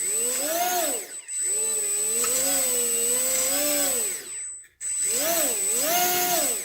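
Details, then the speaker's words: HobbyKing EZIO 800 electric glider after ESC throttle calibration: motor whine rises and falls unevenly and intermittently skips, cutting out and restarting. The calibration didn't fix it, confirming a faulty ESC. "not always but intermittently doing it it's skipping from time time it's not doing as bad but it's still doing it's about esc"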